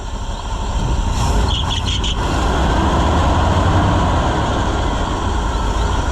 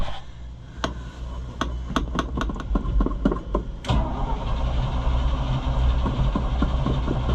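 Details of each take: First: Chevrolet C65 grain truck with freshly rebuilt carburetor, running in the shed with the air filter still off after a hard start: deep, steady, even rumble with no stumbles, backfires or fuel leaks. Normal running. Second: Chevrolet C65 grain truck just after carburetor rebuild, first start: irregular pops while cranking, then it catches but runs unevenly with sputters. Rough running after carburetor rebuild.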